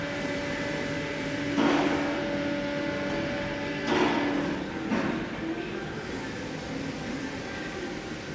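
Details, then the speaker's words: Renault Logan at 25,000 km with a strong front suspension knock: three heavy clunks about a second apart as the arm is levered up and down. The front ball joints have excessive play, and the tie rod ends are also worn. "стук стильно идет пробег машине 25000 настучит шаровой качается влево-вправо шарик"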